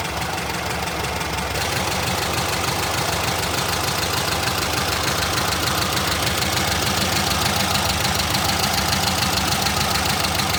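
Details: Air-cooled VW Brasília started just after its fuel pump was replaced, with the outlet feeding the carburetor. It catches and settles into a steady, even idle with the usual air-cooled clatter and no misses: normal idle.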